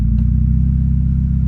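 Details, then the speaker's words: Automatic transmission that previously banged into gear, after repairing the park/neutral safety switch bracket; idling with brake held, shifted into reverse: steady low engine rumble, no clunk or bang; gear engages smoothly. "now let's put it in reverse with the brake line and see and see how smooth it is perfect put it in block again"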